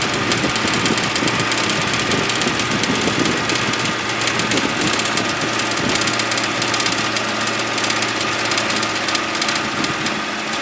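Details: BMW E92 328i N52 idling, busy tinny rattle like marbles in a can, starting after dealer VANOS solenoid replacement; a connector in front of the radiator fan came loose from its holder and hit the fan, reproducible by turning on AC.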